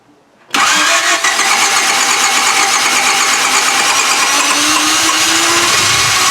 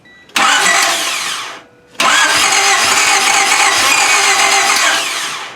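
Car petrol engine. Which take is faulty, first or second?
second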